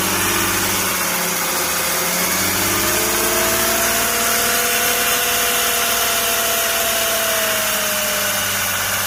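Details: Mercedes 350 CDI with OM642 diesel idling, then blipped twice: metallic rattle over the idle hum, attributed to the high pressure fuel pump.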